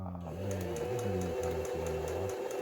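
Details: Home sewing machine about 15 years old, after repair: short bursts of steady motor hum with a light, even needle tick and no knocking; stitching normally.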